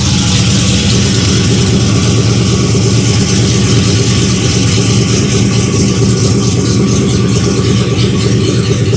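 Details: 1992 Dodge Dakota LS-swapped with GM 5.3 V8 and 4L80E, first start after installing Motion Raceworks in-line E85 flex fuel sensor mount; strong, even V8 rumble holding steady at idle, no misses, knocks or whine, no fuel leaks; healthy normal idle.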